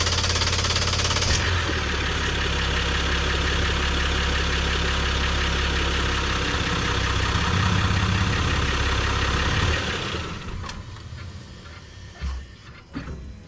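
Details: 2023 Jeep Gladiator Rubicon EcoDiesel after fuel filter replacement and priming: cranks, catches quickly, settles into an even diesel clatter at idle with no misses or stumbles, then shuts off; healthy start and idle.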